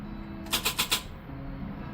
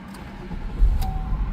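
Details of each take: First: Classic car: quiet cranking bursts of about four pulses a second that never catch; it previously started only occasionally with the key held in start, and the starter seemed fine. Hard starting from a weak battery. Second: Classic car with prior intermittent no-start, after fitting correct larger battery (690 to 840 cold cranking amps): engine catches within a second with no dragging crank and settles into an even idle; starts right up.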